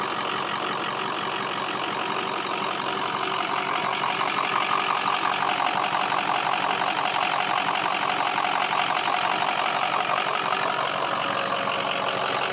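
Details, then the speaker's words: Ford 6.0 diesel pickup with a week-long hot no-start (owner suspects standpipe or dummy plug), recorded from underneath at idle; even, steady diesel clatter with no misses, surges or knocks; runs fine mechanically, normal idle. "Let's get under here. Listen how smooth that sounds."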